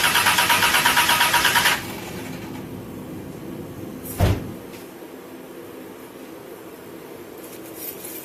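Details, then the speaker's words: DGC cranking after putting everything back together, fuel pressure gauge needle doesn't move: steady starter cranking about two seconds with no firing; crank no start confirmed from failed fuel pump, previously wouldn't start in a parking lot. "Okay, well, the needle didn't even move. So, with all of these different tests, this is how I confirm that the fuel pump is bad."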